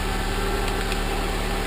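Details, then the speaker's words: Honda idling with a different ECU fitted to test a theory: a steady, even idle with a solid low rumble and no whine on top, stronger than before. Normal idle; owner suspects the old ECU was bad. "because like I said it sounds totally different than what it sounded the last time I started it it sounds much stronger and more alive"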